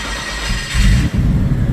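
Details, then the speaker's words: Turbo engine on an aftermarket ECU with no idle control valve, first start of the morning at 18° outside, fuel pump primed by cycling the ignition. Stone-cold exhaust manifold: it catches, flares briefly, then settles to a steady low idle on its own. "So, that is that is cold start. Now, it's idling on its own. It's cold, stone cold. Exhaust manifold is stone cold."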